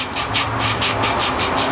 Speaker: if you listen you can hear the the grittiness of the valve grinding compound it starts to smooth out after a few twists but you raise it and then it gets rough again